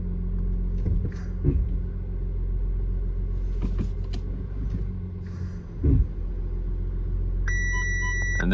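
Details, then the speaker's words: Audi Q5 with hard brake pedal: deep pulsing rumble from the ABS/brake unit, then dash warning chimes as ABS and parking brake lights come on; code for brake booster pressure sensor lower limit not reached. "there it is. All your lights come on for the ABS and the parking brake."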